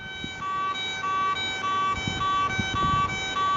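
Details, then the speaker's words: Garrett ATX pulse induction metal detector ground balancing, started via the shift key and held ground balance button while the coil is pumped: steady tones repeating on-off about every 0.6 s, going quiet when balanced. "just pump the coil as per usual with a normal ground balance Precision there she goes nice and quiet and she's ground balancing you're ready to go"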